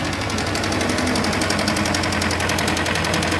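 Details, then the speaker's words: Kawasaki Ninja 250 FI: fast, even metallic clatter (kletek-kletek) over the idle from a slack cam chain; the fault is the worn cam chain tensioner at the front of the engine. "Jadi untuk permasalahan dari suara yang seperti ini guys itu ada di bagian Tensioner keteng ataupun biasa disebut tonjokan ketengnya ya kalau untuk bahasa-bahasa bengkel sehari-hari yaitu tonjokan keteng posisinya ada di sini guys ya"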